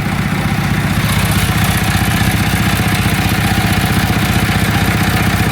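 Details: 1972 JCB 3C diesel, a long-time non-runner, just started after fuel bleeding; even chug about four beats a second over a deep steady rumble with no misses, knocks or smoke; healthy idle.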